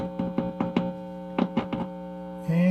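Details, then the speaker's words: Restored Webcor Holiday portable tube record player (recapped, retubed), with no cartridge installed yet: a constant low hum under handling clicks that swells when the metal chassis is touched, not coming from the power supply. Ground loop hum from a grounding fault. "i touch metal on this thing i'm getting a hum yeah you know what that's telling me i got a grounding issue somewhere in this"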